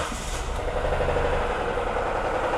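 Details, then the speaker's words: Ford Ka 3-cylinder at idle: steady, rough low-end clatter under the engine note, with belt debris found in the lubrication system; cause not yet confirmed before teardown. "Nossa Vocês ouviram é esse motorzinho aqui deu ruim pai bom então É isso aí rapaziada"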